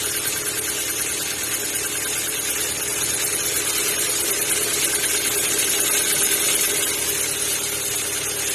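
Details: Kia Ceed 1.6 cold start: light, fast ticking, about three beats a second, over a steady cold idle, disappearing once warm; owner suspects valves or lifters, unconfirmed.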